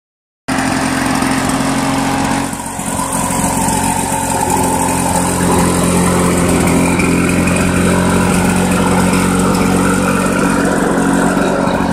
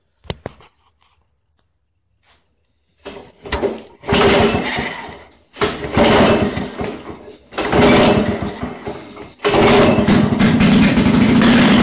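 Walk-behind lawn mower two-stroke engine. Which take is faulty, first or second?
second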